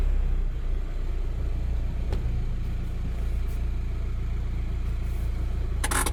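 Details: Volkswagen Transporter 1.9 diesel idling, clutch replaced 45 months ago, previously hard to engage first with gearbox noise; after adjusting white plastic adjuster on gear cable bushing, one soft click into first, no grinding. Normal first gear engagement.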